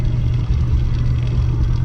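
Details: Brunswick Frameworx pinsetter just after a lower pulley assembly swap and belt refit: steady, even low hum from motor and belts with no squeal, slap or knock. Runs smoothly, though the belt tracks slightly close to the outside edge.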